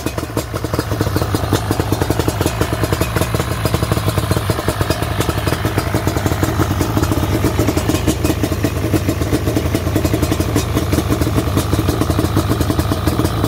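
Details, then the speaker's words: Yamaha Banshee twin two-stroke after a dual Pingel petcock rebuild, running smoky and rich; even, muffled burbling idle with crackles through long mufflers, no missing or knocking. "yes it's always good to hear the banshee run i really do love this quad"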